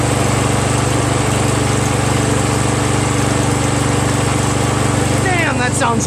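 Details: Exmark 36 Metro Encore commercial walk-behind mower, a trash find with a newly repaired recoil starter, started using starting fluid: single-cylinder engine runs steady and even at constant speed with no misses or surging; running properly.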